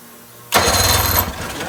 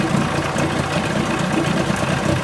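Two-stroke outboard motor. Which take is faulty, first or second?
first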